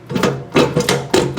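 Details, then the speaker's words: Used Ariens snowblower being checked before sale. Impeller rocked by hand without touching the belt gives sharp hollow clunks about every half second: worn-out auger bearing. "you can hear it just by grabbing the impeller without having to touch the belt. You can see that bearing is completely worn out."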